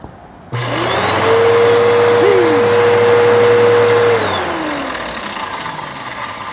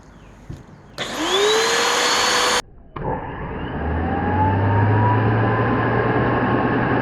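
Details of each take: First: Waterlogged Bissell PowerForce Helix curb-find vacuum: motor spins up to a steady whine with a wavering squeal, then winds down; brushroll belt slips badly. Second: Bissell Powerforce Helix vacuum, waterlogged curb find: motor spins up to a steady whine with a low hum and stays even, with no grinding or rattle, so it runs fine.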